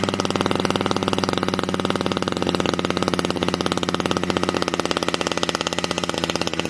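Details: Modified Husqvarna 455 chainsaw with new home-made exhaust pipe and decked cylinder, compression building: crisp, rapid, even two-stroke firing, tight sharp exhaust note; running strong and healthy.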